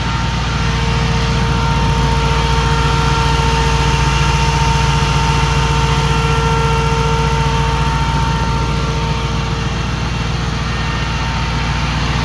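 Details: 2005 Jeep Grand Cherokee 5.7 HEMI V8 idling with AC on after a hydraulic-to-16-inch SPAL electric fan conversion: steady, even idle with smooth fan whir and constant tone; engine and fan sound healthy, normal idle.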